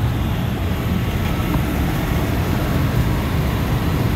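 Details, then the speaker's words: Cambridge make-up air unit with direct fired burner, previously locked out on airflow from a misadjusted screw-type damper actuator; after adjustment, holding its 160° supply setpoint, it gives a steady even low roar of flame and fan without pulsing, running normally. "I think the only problem was that damper being jacked up and I don't know how it got that way this thing sounds good now"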